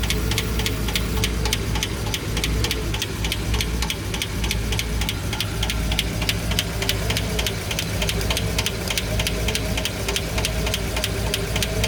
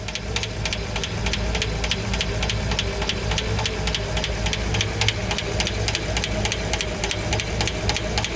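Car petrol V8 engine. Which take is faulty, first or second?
second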